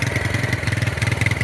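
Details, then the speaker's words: Suzuki Marauder 250 cruiser after a cheap carburettor rebuild: choppy, lumpy idle that stumbles, with black smoke, hesitation off idle and slow return to idle. It was already hard to start on cold mornings. Diagnosed as overfueling; pulls strongly at the top end. "But you kind of see the smoke coming out now. definitely over fueling."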